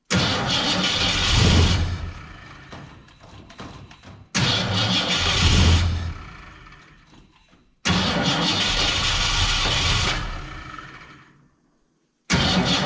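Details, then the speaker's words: 1967 Ford Fairlane, not run in 7 years: repeated cranks catch briefly, rev up, then fade within seconds. Won't stay running; owner unsure whether it is fuel, carburetor needs a rebuild, and he suspects the valves. "I've had no luck getting it to actually stay running I don't know if it's a fuel issue I know the carburetor needs to be rebuilt at this point"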